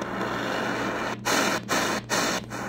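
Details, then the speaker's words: Choyong LC90 receiver on shortwave: constant hiss with a fixed low carrier-like tone, cut by tuning gaps; internal birdies generated by the radio's own circuit. "but here you hear that there's a birdie on this frequency here you see it's like there's a carrier but in reality it's once again an internal birdie look how many of them"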